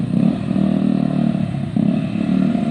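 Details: Zontes single-cylinder motorcycle that used to cut out when stopping, after valve clearance check: engine keeps ticking over steadily through repeated clutch-in stops with no cutting out or stumble; idle holds cleanly, problem fixed.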